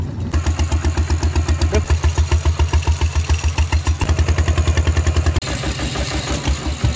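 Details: Thai single-cylinder tractor with iron wheels ploughing a rice paddy, fitted with a trial replacement exhaust pipe; loud, sharp, harsh unmuffled thumps about three and a half a second under load: loud open exhaust.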